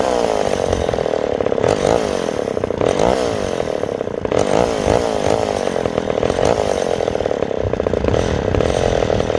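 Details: McCulloch 10-10S chainsaw after replacing the clogged fuel-cap check valve (gurgling gone): revs keep rising and sagging every second or two, running rough and hunting; cause not yet found.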